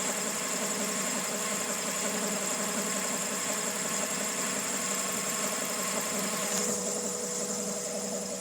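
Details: 2000 Honda Civic EX with rebuilt D16Y8 engine, mechanical timing dead on: uneven idle with busy ticking clatter and bright high-pitched noise; owner suspects cam pulley, timing tensioner or a bearing not turning smoothly.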